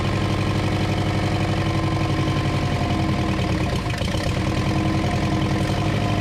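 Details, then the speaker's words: 1934 Ford chassis with 1960s Buick Nailhead V8, first start in about 40 years, fuel poured in because the accelerator pump isn't working: catches and settles into a loud, lumpy, steady run with an even exhaust beat. Engine starts and runs. "engage well she runs you better open some doors though"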